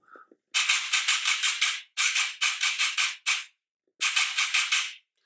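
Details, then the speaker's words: FCC 3.0/3.5 airsoft gearbox test on a Turnigy 1200 25C battery after reseating the motor core and refitting brushes and motor head: crisp, even bursts of rapid shots about six a second, clean stops, no drag or stutter; normal operation. "y a vraiment aucun problème donc pour le coup voilà"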